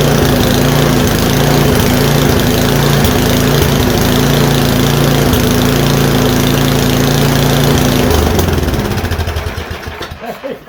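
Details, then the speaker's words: MTD Yard-Man 1024 two-stage electric-start snowblower, after carburetor cleaning, fuel lines mushy: small engine chugs evenly at a steady quick beat for eight seconds, then winds down and stops; normal running. "we got fuel lines over here that are like mush but uh she fired up"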